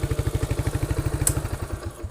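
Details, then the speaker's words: Motorcycle after engine work: quick even thumping about ten beats a second settling and softening at idle; starts and runs normally. "Mesin udah hidup normal. Start nyala. Starter hidup."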